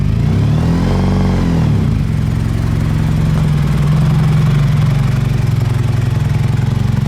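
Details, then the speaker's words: Honda VF1000 V4-powered buggy started after sitting for a long time: lumpy, loping low idle with little pull, hesitating on throttle; only firing on two cylinders, hence no power. "It's only running on 2 cylinders. That's why it has no power."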